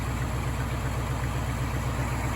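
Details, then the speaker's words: 1977 Jeep CJ5 after reviving from non-running, running with no choke: low, even idle with steady pulse, no misses or knocks, smooth like a sewing machine. "just for no choke or nothing that's pretty darn good like a sewing machine"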